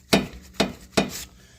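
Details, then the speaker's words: 2012 Mazdaspeed 3 with the wheel off: three sharp metallic clunks about half a second apart as the front end is worked, both sides, like its knocking over bumps; tie rod boot leaking grease, worn rack and pinion with play, rack being replaced. "But here's the noise I'm hearing. You can hear it. Ready over bumps. You're hearing that on this side. And same thing here. Real bad."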